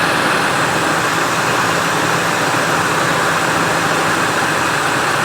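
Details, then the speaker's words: 1999 Ford Expedition 5.4L Triton V8 after replacing idler and tensioner pulleys and a new belt, previously noisy and wearing belts: steady even idle with no chirp, squeal or rumble; belt drive normal. "put the hose back on got the belt all lined up fired it up no more noise problem fixed"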